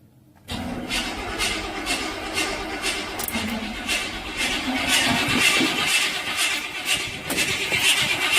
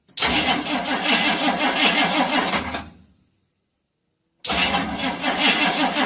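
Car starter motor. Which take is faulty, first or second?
first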